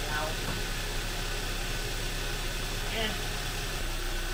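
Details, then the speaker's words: 2011-2014 Kia Optima/Hyundai Sonata with a freshly installed junkyard engine, first start after install without pre-priming oil: a steady, even idle hum with no misfire, tapping or rattle; it started quickly and sounds good. "so that's why i just kind of started it but it sounds good it sounds really good started up pretty quick too"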